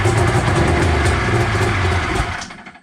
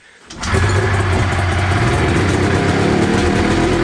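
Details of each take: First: 1993 Arctic Cat Thundercat 900 two-stroke, first start attempt after a spark check and gas poured down the cylinders: barks and runs roughly for about two seconds, then fades and stalls; it fires but won't keep running. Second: 1993 Arctic Cat Thundercat 900 two-stroke snowmobile, first start after sitting: catches after a few pulls and settles into a steady, crackly run with no misfire.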